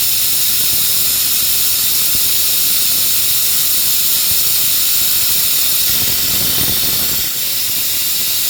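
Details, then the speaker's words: Shop compressed-air hose leaking while working on a Honda mower: constant loud high hiss, steady throughout with nothing underneath. Compressed air leak. "these Hondas or some of them NGK got this leaky air hose. So you guys get to listen to that just like I have to."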